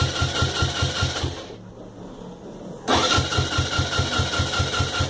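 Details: Suzuki Yes motorcycle engine: steady low knock about two to three times a second at idle, stopping briefly then returning on restart; rhythmic knocking noise, cause unknown.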